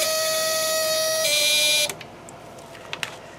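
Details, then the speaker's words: ELENCO Snap Circuits project 345 (LED vs. Diode), relay circuit with a regular diode instead of the LED: a high, steady squeal with bright overtones steps in pitch, then cuts off. The meter reads past 10 because the diode drops less voltage, so more current flows. "so if we turn the slide switch on now yeah it still squeals when we look at our meter it's gone past the 10 point on the scale"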